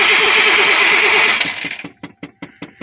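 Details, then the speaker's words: 1994 Chevy K2500 with a 350 5.7L: the starter spins steadily, then falls to separate clicks with no firing. No fuel pump hum is heard; crank-no-start because the fuel pump fuse is missing. "Hear a pump? Any humming? Nope. Alright, so if it was a bad fill pump, it'll still make a hum."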